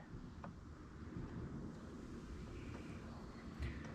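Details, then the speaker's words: Riding mower after bending back a bent part that was hitting and finding a squeaking rear pulley with a burr: low, even drone under wind, no knocking or scraping from the deck; runs clean now. "What that squeaking is the pulley in the back, and little burr right there needs there. Much happier now."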